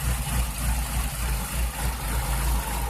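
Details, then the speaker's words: Chevrolet Cavalier idling rough with irregular lumpy pulses near three per second. It misfires on cylinder 4, sometimes setting a multiple-misfire code, with no check-engine light now. Plugs, wires and MAP sensor are new and the ignition control module has not been replaced; cause unknown. "it's just idling like a turd it's not tripping and check engine light right now which is interesting"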